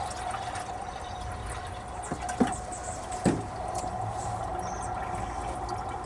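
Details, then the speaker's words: 1957 Chevy big-window V8 pickup being revived: water gurgles and trickles into the radiator with a few soft pops while filling, level only slightly down; taking fluid normally, no leak. "i got some more water i'm hoping you guys can hear it gurgling"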